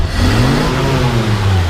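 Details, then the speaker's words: 1953 Chevrolet 3105 panel truck, original survivor with about 23,680 miles, inline six revved: deep, steady, smooth rev with no misses, knocks or rattles and no smoke, clean glass fuel filter; normal engine revving. "Go ahead and rev it up. You can see it doesn't blow smoke."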